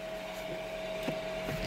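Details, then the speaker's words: Rewired replacement fan in a Coleman cooler, recorded with the truck engine off so slightly noisier than normal: a steady, even whir with no rubbing or ticking, the repaired fan running healthily. "And this one is really not all that noisy. Now I got the truck off, so sounds a little bit noisier than normal."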